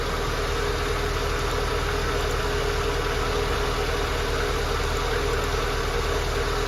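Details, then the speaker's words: 2109 VAZ 1.5 idles steadily and evenly with a smooth low hum, no misses. It started after the LPG gas unit was switched off, with only a crankshaft sensor error logged; the gas unit is still suspected. Normal idle. "що в ЧМ була проблема була тільки помилка по датчику колінвала як побачили ми і вона завелась"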